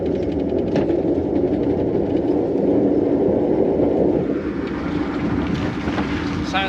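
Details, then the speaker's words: Peugeot P4 (Mercedes G-Wagon military version) under restoration, coasting downhill in neutral, clutch in, engine off: rough continuous grating rumble rising with road speed from front, rear and floor underneath; drivetrain fault suspected, unconfirmed. "absolutely horrible okay I think we've got noises coming from the front we've got some from the back and we've definitely got something happening uh behind me here on the floor"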